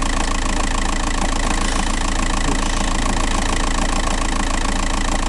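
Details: Diesel TDI 105 at idle: steady, hard knocking rattle about three or four beats a second over the clatter; flywheel suspected, not confirmed.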